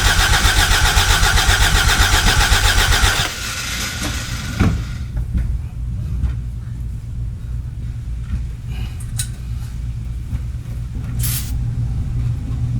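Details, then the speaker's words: 1986 Toyota MR2 AW11, after replacing fuel pump and reinstalling tank: rough pulsing run about three seconds then dies with a single sharp pop, with some smoke; caught briefly, backfired and stalled. "uh that little backfire that it did earlier oh that was something"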